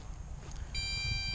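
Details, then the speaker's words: MJX Bugs 3 drone transmitter on its first flight: a steady, high electronic beep over low wind rumble warns the battery is low and it's time to land. "Transmitter's beeping, letting you know, hey, battery's low, time to land."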